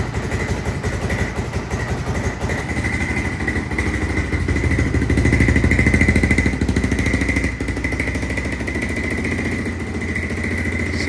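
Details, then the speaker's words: 1996 Honda FourTrax 300EX ATV, original carb rebuilt and reinstalled after a no-start: quick, regular single-cylinder putter that surges a bit mid-clip and stays fast; runs fine but idle set too high. "it is idling, but we need to turn that idle down a little bit,"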